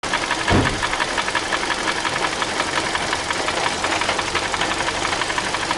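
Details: Idling car engine with a light, quick ticking of about three per second over a steady idle; source of the tick is unknown.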